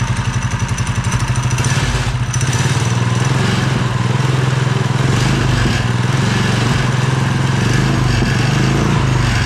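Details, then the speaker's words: Mini bike after engine swap to a Honda single, chain and belt cover off, first start: steady fast putter with no misses once the carb filled; runs smoothly. "So, as you guys seen, we got this thing fired up and it actually ran really good. Once the carburetor filled with fuel, this thing was running super smooth."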